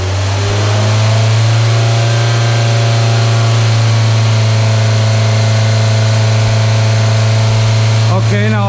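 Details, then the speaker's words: Deceleration vacuum test: engine held at 2,000 rpm then throttle snapped shut, note drops away cleanly; vacuum rises only 1–2 inHg above the 21 baseline, considered normal. "deceleration vacuum should be higher than my 21 so let's see what we get so let's go up and rev it up"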